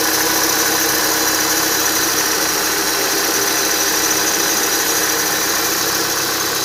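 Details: Renault Duster at idle, high-pitched accessory drive belt whistle that appeared after 52,000 km; replacing the upper idler did not stop it, and the lower idler and belt were not replaced. A constant whistle over a quiet idle.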